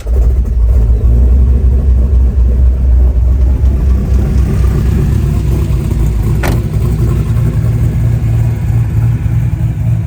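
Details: LS-swapped one-ton Jeep with an electric power-steering cooling fan, start-up: deep, steady V8 rumble with an even beat and no ticks, knocks or misses; normal idle.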